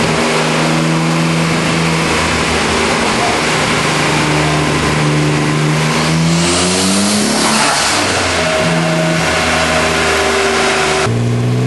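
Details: 1993 240sx convertible with RB26DETT on stock twin turbos at 15psi, mostly stock setup, pulling hard on the dyno with a rough stuttering bad misfire, max 247hp 221tq.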